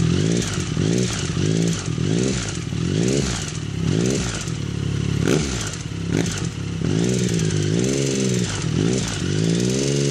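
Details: 2009 Triumph Speed Triple, 50,000 km: light ticking clatter that rises and falls with revs; began suddenly mid-ride, persisted after dealer replaced timing chain; dealer now suspects middle cylinder, source unknown.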